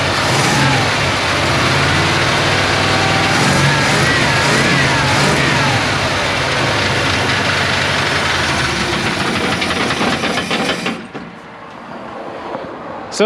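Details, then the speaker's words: 1977 Chevy truck with carburetor and electric fuel pump, awaiting LS swap: steady quick knocking from between engine and transmission, then stalls; owner suspected a bad rod or transmission, found a cracked, misaligned flexplate. "I don't know if you guys could hear it go it's quite like like like like and then it dies so either it's got a rod that's going bad"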